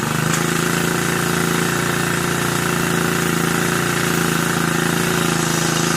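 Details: Brand-new Turbotech SD T35 4S four-stroke brush cutter after replacing a shorted ignition coil that caused a no-start: steady, even idle with a quick regular beat, no misses or stumbles; normal idle.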